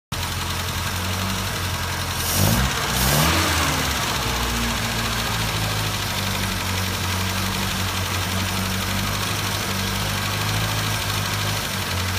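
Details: 1974 MG Midget with SU carburettors: steady idle with a slightly uneven, loping beat around 100 a minute; running rich, and owner reports it alternates between running weak and rich.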